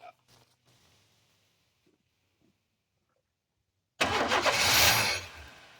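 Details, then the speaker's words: 1991 Chevy S10 fuel-injected engine primed with a squirt of gas: it catches in one loud rush for about a second, then dies. The fuel pump engages and builds pressure on key cycling, but no fuel reaches the injectors and it seems to stop once pressure is spent. Cause not yet confirmed. "I squirted a little bit of gas into prime it, fired it up, and then I noticed that it trickled for a second and then it stopped."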